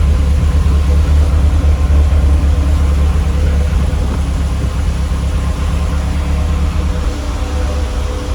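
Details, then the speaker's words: Lotus Elite revived after ten years in a barn, after cleaning its carb chambers and adding fresh fuel. Still cold, with good oil pressure and vacuum working. A steady, even, low idle rumble with no knocks, misses or rattles. "The lights have come down, which means the vacuum's all working fine. How sweet is that, guys?"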